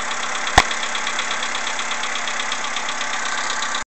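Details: CFNA engine on a cold morning: cold idle with a steady fast ticking knock riding over the engine note, even and unchanging; suspected piston knock when cold, not confirmed.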